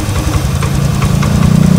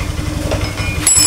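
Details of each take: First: Honda Scoopy FI that died when throttle released, after throttle body refit and idle adjustment (air filter element found missing): small single-cylinder putters at steady even idle without stumbling or dying; idle now holds. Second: Honda Scoopy FI scooter that dies when throttle released, newly installed throttle body, idle air not yet adjusted, air filter element missing: lumpy, breathless idle pulse that never settles; uneven idle.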